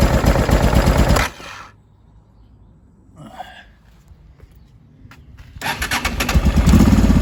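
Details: 2005 Honda Deauville NT650V V-twin after carburetor check (vacuum pistons repositioned, pilot screw set), warmed about three minutes, choke off, idle set low: low even thump, no popping or backfire, dropping away briefly mid-clip; idling cleanly.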